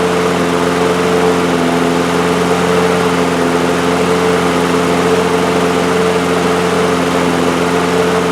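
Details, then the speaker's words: Two-year-old DeWalt mower with Briggs & Stratton engine, new carburetor main jet: one-pull start, then steady, even single-cylinder drone at moderate speed with no hunting; running properly. "I like that much better. We're back in business now. Enjoying a one pull start. That's how it's supposed to be."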